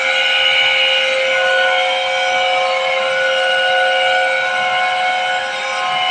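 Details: Water-cooled 160 TR chiller compressor: steady high whistling tone with several layered pitches, even and unchanging over the compressor run; abnormal compressor noise, cause unknown.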